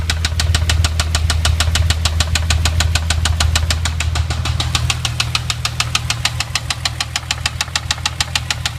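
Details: VR6 after timing chain and clutch replacement, third start-up: sharp, very regular metallic knock about 200 per minute at idle, sometimes goes away; cause unknown, jumped timing suspected.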